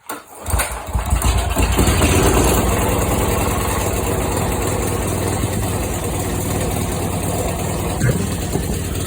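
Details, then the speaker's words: Snapper walk-behind mower, first start after swapping in a replacement engine for a blown one, carburetor and wiring redone, low on oil and smoking: short crank, catches and settles into even, steady idle with no misses or knocking. "oh my god well uh it runs apparently oh shoot oh I need a minute after that one"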